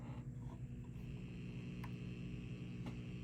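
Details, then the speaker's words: 1956 Fender Champ tube amp on the bench with chassis open, after replacing leaky coupling caps with vintage orange drops (leakage down to about 5 mV): steady low mains-type hum with no crackle or popping; harmless background noise, amp clean. "That's just some background noise there from it being open."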